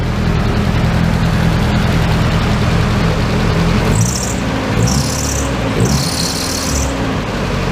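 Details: Nissan S13 convertible with newly installed eBay turbo, first start after install, one exhaust clamp not yet on; steady low idle with even firing and a few short airy hisses near the end, no knock or rattle; idles fine.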